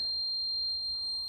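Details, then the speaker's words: Volvo 145 that failed its MOT with a dead left rear light: the bulb tested with a multimeter continuity beeper gives a steady, piercing beep, so the bulb is good. No power reaches the light, and a fuse is suspected. "from the beep, the bulb is working, so it's not that."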